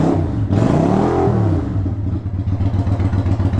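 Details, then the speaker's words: 1993 Yamaha Virago XV535 V-twin, possibly with Black Widow exhaust, after replacing spark plugs (one old plug loose), warm: revs rise smoothly then drop cleanly to a steady idle without hunting; owner thinks the new plugs made a big difference. "it drops down good so um I think the spark plugs actually did make a big difference"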